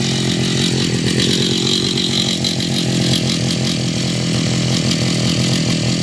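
Small two-stroke buzzes at a steady high pitch with an even, unbroken note and no misfire or sputter; a healthy run.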